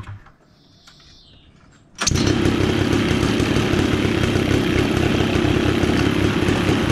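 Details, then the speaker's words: 210cc two-stroke paramotor engine, high compression with decompression button and expansion chamber, on a drift trike build, thought to be about 19 hp: catches after a couple of seconds, steady even buzz with no misfire or knock; healthy running. "so well as you can see guys it runs pretty good and you can hear it's powerful it's uh i think they're about 19 horsepower"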